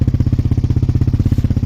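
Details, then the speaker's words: Suzuki LTZ400 quad with Yoshimura exhaust after top-end work, earlier had a slight idle noise every second or third rotation: even single-cylinder thump, no tick or knock, revs out well, no smoke; noise gone, healthy idle. "But I don't really hear that noise now. So it sounds pretty good. It's revving out really well. No smoke."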